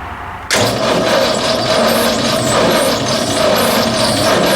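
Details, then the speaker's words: AMC 304 V8 in a small machine, allegedly last run two years ago, cranked on a new battery: starter churns with an uneven, lopsided beat and a squeak, suggesting poor compression on some cylinders; owner suspects a wiped-out cam. "well that sounds like engine with a wiped out cam if I've ever heard one"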